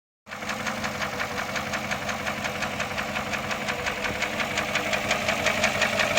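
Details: Porsche Cayenne S, sold as junk and hard to start: a steady metallic ticking knock at about three per second over a smooth idle, a clear abnormal engine noise of undetermined source.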